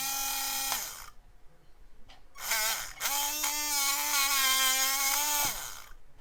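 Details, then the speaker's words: HBX Rampage 1/18 4WD brushed RC monster truck, drivetrain just freed of a jammed pebble and disassembled: thin high motor whine wavers and warbles instead of holding steady; motor works but still sounds rough, cleaning planned. "motor works so it still doesn't sound great"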